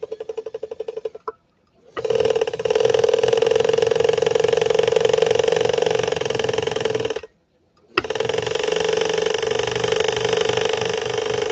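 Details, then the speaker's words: Swedish machine, just unpacked, motor powered up (the light dims): a steady, labored hum with a strong mid-pitched drone and no clean spin-up; the motor is straining and sounds bad. "That's not the way a Swedish Beauty should sound. Try taking the clutch and re-engaging the clutch, seeing if we're That sounds horrible, doesn't it?"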